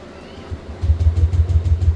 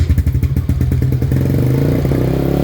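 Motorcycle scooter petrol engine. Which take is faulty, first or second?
first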